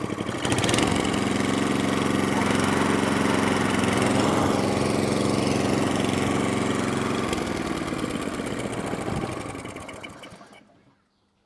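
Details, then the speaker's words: Atco Balmoral cylinder mower, unrun for 9 years, after tightening a loose carburettor drain screw that leaked fuel: small single engine holds a steady, even beat with no stumbles, then winds down and stops cleanly; runs beautifully, no fuel leaks. "so now it takes over lovely it runs beautiful no fuel leaks"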